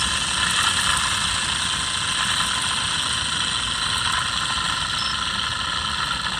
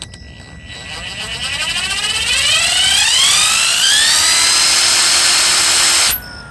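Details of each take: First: Mercedes S600 V12 alternator spun by hand off the car: dry, gritty marble-like rumbling whirr from bad bearings in the original unit, unlike the silent new replacement. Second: Mercedes S600 alternator on bench, new replacement unit: clean whirr climbs smoothly in pitch as spun up, then cuts off; no marble-like gravelly rumble unlike the original with bad bearings, so bearings sound good.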